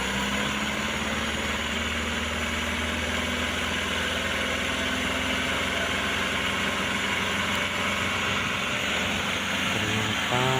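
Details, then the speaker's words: Old petrol Mitsubishi L300 that sat about two years, primed with petrol: it runs with a steady roar only while held on throttle and dies when the throttle is released; dirty or flooding carburettor suspected. "bisa hidup loh. Cuman kalau gilepas mati ya. semacam semacam ngelotor, semacam banjir pada karburatornya, Lur."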